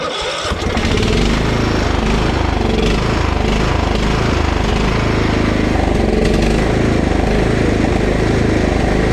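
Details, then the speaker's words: Husqvarna LT 1538 riding mower with Kohler CV15 engine hunting and surging, briefly clearing up when carb cleaner enriches the mixture; lean running from a dirty carburetor. Mower reportedly quits after mowing a while. "see how it kind of clears up for a second if I put too much in it don't okay okay now I still don't know if it's charging but I'm convinced that we're having a fuel issue usually hunting like that is a fuel issue"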